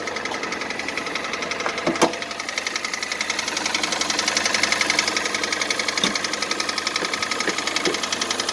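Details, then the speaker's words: 2014 Kia Cerato 2.0 with about 143,000 km at cold-start idle: a sharp, steady tapping of about four knocks per second. A diagnosis found scoring in cylinders 2 and 3, and the knock has been present for about 1,000 km. Owner first suspected the hydraulic lifters; this is piston knock. "ездил 9 марта на диагностику сказали задиры второй третий цилиндр стук примерно уже около тысячи километров"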